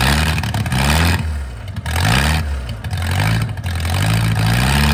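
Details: Mercruiser 470 3.7L marine engine first run in 16 years after recommissioning: revs up and down with a low steady drone and no knocking between blips; running fine.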